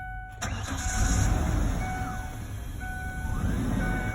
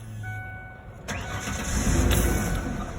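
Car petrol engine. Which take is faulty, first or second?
second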